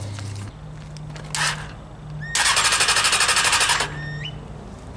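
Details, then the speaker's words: Crashed junkyard Honda 600cc motorcycle engine, fitted with a new ignition for a go-kart swap, cranking: the starter spins with a fast even chatter but never fires. Cause is no fuel; choke to be tried next. "Ain't got no gas. I know what's wrong with it."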